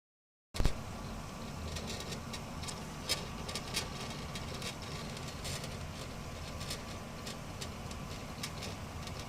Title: WD 4TB Black HDD rattling noises.